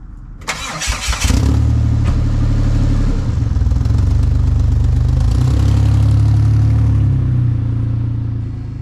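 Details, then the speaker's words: DeLorean engine cranks, catches and idles lumpily with fast, sharp ticking, louder on throttle, from exhaust leaks at a loose flange, a weak flange and a broken header flange, later fixed by welding. "That ticking? That's the sound of an exhaust leak."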